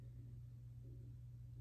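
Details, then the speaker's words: HeatStar 50,000 BTU garage heater heard from the bonus room above to test the isolator/vibration damper: only a faint, steady low hum through the structure, no rattle or throb; well isolated and running fine. "yeah there's a faint sound but very very little i mean i can barely hear it so looking good guys looking good"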